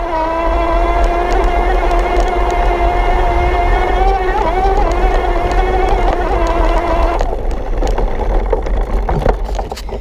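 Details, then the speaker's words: Kranked E Squared mid-drive (18:1 step-down) on a Santa Cruz V10, hard climb: steady, loud, mid-pitched buzz held evenly, then easing off. Noisy but normal under load. "But you can hear the noise. You can kind of hear it buzzing, definitely."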